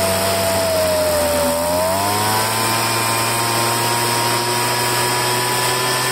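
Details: Poulan handheld two-stroke blower after fuel line replacement: buzzes steadily, dips then settles to an even clean pitch; running smoothly with no misfire or stumble.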